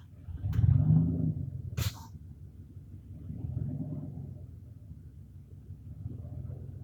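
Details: 1995 Dodge Ram 1500 rough idle: low, uneven idle swelling and sagging every couple of seconds with a couple of sharp clicks; attributed to a faulty temperature sensor.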